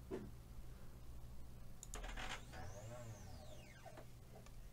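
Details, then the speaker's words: 3018 mini CNC with an axis clamp screw tightened: stepper whine sweeps up and falls back over about two seconds above a low hum as the binding axis stalls the motor; loosening the screw frees it. "because that murder can't move now if I loosen that off it can now move so that's that's obviously a big issue here"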